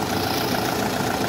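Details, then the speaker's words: Kia Soul after drive belt replacement: a steady, even idle hum with no squeal or chirp; the belt noise is gone. "Yun, okay na mga boss, wala nang ingay."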